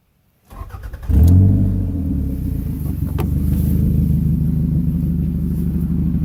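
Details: 1998 Toyota Camry: the engine cranks, catches and settles into a loud, deep idle rumble from an exhaust leak at the flex pipe.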